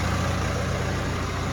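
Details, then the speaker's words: 2011 BMW E91 diesel with 6HP21 automatic, first cold start after a gearbox replacement that cured a previous ringing. The torque converter is not yet full of oil. Smooth low rumble at steady idle with no ringing or whine: normal. "Всё, тишина. Шелишка нема. Гублик ещё не набрал масла, насос ещё не накачал, но уже всё хорошо."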